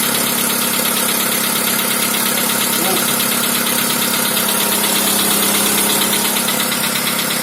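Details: 2010 VW Polo Sedan, 1.6 CFNA 105 hp, 176,000 km, cold idle: a fairly regular light knock about three times per second over the engine. It uses no oil and pulls well; cause unclear.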